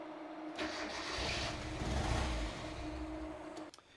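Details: Miata with code 1 (cam angle sensor) fault, testing swapped cam angle sensor: catches on crank, runs roughly about three seconds, then cuts out abruptly; won't stay running, cam angle sensor suspected.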